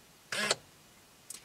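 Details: Quick quarter-second motor whirr ending in a click, then a faint tick as a GM Tech2 scan tool cycles the steering column lock actuator on a C5 Corvette with key off; normal column lock operation.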